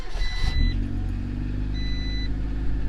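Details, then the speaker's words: Honda CRX (ED8) cold idle right after throttle body swap fixing a leaking diaphragm vacuum leak: low, smooth, even idle holding steady speed without hunting or stalling; normal. "And now there's RPM. I'm gonna let it warm up a little bit more, or all the way. Actually, it's cold."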